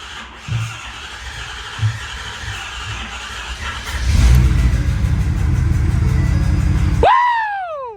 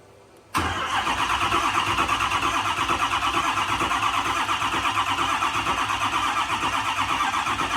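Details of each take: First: Ford F450 6.7 Power Stroke diesel just after S&S DCR conversion pump install, started with brake clean (one intake pop first): catches and settles into a steady, even low rumble at idle, no misses or knocks; normal idle. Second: Ford F450 6.7 Power Stroke diesel after S&S DCR conversion pump install, cranking on batteries and jump box: starter labours slowly at about three turns a second, never catches; batteries of unknown date suspected shot, weak battery slow cranking.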